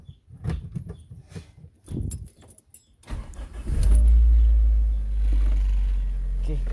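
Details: Toyota Corolla with a crank-no-start problem and ECU replacement: after some key and cabin fumbling, a short crank catches into a smooth, steady idle. It starts and runs normally.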